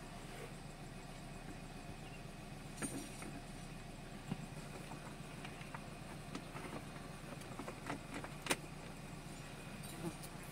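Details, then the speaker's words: Nissan Grand Livina with check engine light and high fuel use: low uneven idle with a stumbling beat and irregular soft exhaust puffs; misfire, suspected ignition coil leaking spark to the engine block, smooth again after coil fix. "Ini untuk suara dari knalpotnya pincang ini biasanya kuilnya nginduksi ke bagian blok mesin ya"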